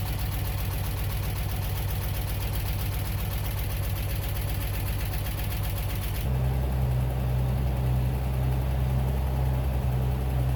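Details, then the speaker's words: Bitter SC 356, just revived after a no-start: steady idle with a regular knock about two or three per second following engine speed; owner concerned, worst case opening the engine; source not yet found. "but the guy is running it has a nasty knock that I am concerned about I don't know how concerned I need to be but in worst case I have to open the engine"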